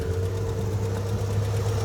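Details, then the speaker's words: V8 barn-find Chevy at idle with a light, fast valvetrain-like tick over the rumble that is new; oil pressure still pegged after adding oil, cause unclear. "I don't know if you guys can hear that tick, but it normally does not have a tick."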